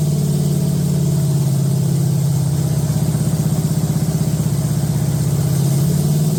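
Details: Date-coded 1969 383 HP Super Commando V8, freshly swapped from a Barracuda into a 1969 Plymouth Road Runner, run with good oil pressure: deep, even rumble at a steady fast idle with no ticking or clatter. Sounds healthy.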